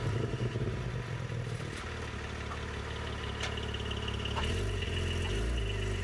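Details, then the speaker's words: Porsche Cayman 718 GT4 with drilled discs, only 2,000 km, recorded from outside: low engine rumble as the car rolls in, then a faint, steady high-pitched brake squeal; cause not confirmed. "es war jetzt nicht so laut aber man hat es gehört dieses hoch bekannte geräusch des gt quietschen"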